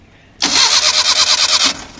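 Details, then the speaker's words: Suzuki Mehran / Maruti 800 (800cc) that stalled on the road, now started with the key: starter cranks in a quick even rhythm for about a second and the engine catches; normal start. "मारो ये देखिए अभी ये गाड़ी स्टार्ट होगी।"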